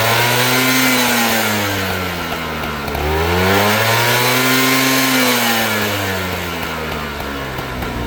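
Small two-stroke engine revved twice, with a dry metallic rattle over the buzz from piston slap. Cause suspected, not confirmed.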